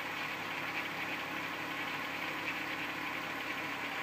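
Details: 1994 VW Golf VR6 at quiet idle with a light, busy metallic rattle in the upper range over the hum; early timing chain noise caught before it got bad, chain to be replaced.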